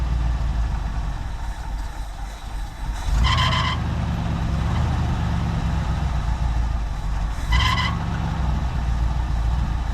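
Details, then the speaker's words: 1973 Ford F-250 with a C6 transmission, cold engine idling after a transmission pan job: a low rumble with a short, sharp high chirp about every four seconds. A squeaking fan belt is suspected, not confirmed. "Sounds like he got a fan belt squeaking."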